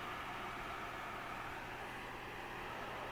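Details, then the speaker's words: Country Hearth 2500 wood stove rear blower fan at maximum speed after cleaning and light oiling: a smooth, even rush of air with a faint steady hum and no squeak or rattle; runs quietly. "And there's no squeaking, it's very smooth, there's no dirt or dust coming out now, so it should work for me."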